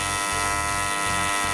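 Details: Normal AC TIG arc on aluminum: steady, even high-pitched buzz with no sputter or crackle, while holding a puddle that keyholes and dabbing filler in; a clean, stable arc.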